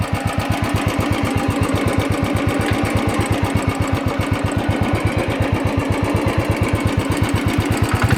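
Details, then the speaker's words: Royal Enfield, tappet noise present since delivery, recorded being revved 1,487 km after the original tappet rods and hydraulic unit were replaced; fast, crisp metallic ticking keeps time with the engine, owner says it comes from the rocker arm beating. "So this is the noise I'm getting here after riding 1,487 kilometers after the replacement of the original tappet rod or the hydraulic."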